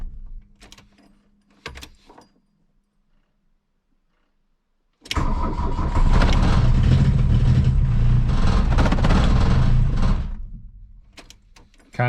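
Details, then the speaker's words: 1982 VW Rabbit diesel, cold, long stored, cold choke out after glow plugs: after a silence it catches, runs roughly about five seconds, then sags and dies, firing but not holding idle. "act like wants to idle and to die out"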